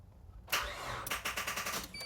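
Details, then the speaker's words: 1997 Suzuki Sidekick 4WD: jump pack drained, about seven slow, tired cranking strokes that never catch; weak battery and pack can't spin the starter fast enough, both need charging. "Nope, used all the juice out of the jump pack. I'll have to charge up the jump pack and the battery at the same time so they get enough juice, and then start this again when I can crank it again."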